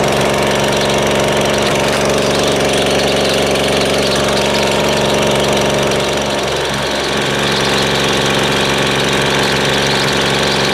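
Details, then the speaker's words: Husqvarna two-stroke string trimmer (weedeater) restarted after running only on choke: a fast, uneven putter of about four beats a second hunts and stumbles instead of settling; high/low mixture and idle settings are off, cause suspected, not confirmed. "let's uh let's start it back up because it's obviously got problems with the uh high and low settings and the uh idle is not right not right for"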